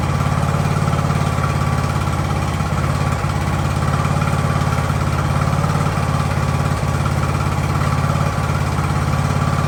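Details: Ariens riding mower with hydro drive, sat at least two years, jump-started, warming up in about 30-degree cold: steady even low-pitched idle with regular beat, no knocks or misses; normal idle.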